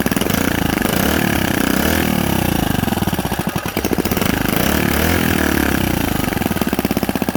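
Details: Predator 79cc single-cylinder minibike engine, first start after fitting a carburetor spacer and setting the throttle linkage, choke on. It buzzes along, speed dipping and rising a little before steadying; normal running.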